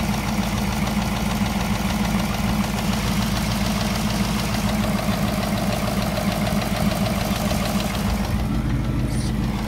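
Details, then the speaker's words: 2018 Ford Mustang GT PP1, 6-speed manual MT82, high mileage, three years owned: light quick ticking over steady V8 idle two to three minutes after cold start, "typewriter tick"; cause unknown, owner unsure if it matters. "one thing i'll add uh during cold starts on these vehicles it's very loud you're not gonna hear anything except two or three minutes into the startup so now you can hear it tick tock and has the"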